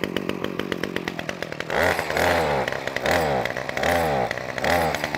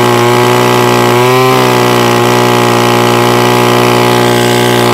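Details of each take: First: Titan strimmer multi-tool that bogs or won't stay running, started on choke: it fires fast, then revs surge up and down roughly once a second without settling. It is running lean, and the mixture needs richening. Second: Titan strimmer multi-tool that used to bog or stall, after a quarter-turn clockwise carburettor adjustment with a flathead screwdriver: steady, even two-stroke buzz, brief rev picks up cleanly and settles back, running smoothly.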